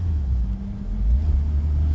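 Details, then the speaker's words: Old Fiat after ignition timing tune-up, warming up before a drive: low, even rumble holding steady with no ticks or misses; normal warm-up idle. "I love the way this sounds"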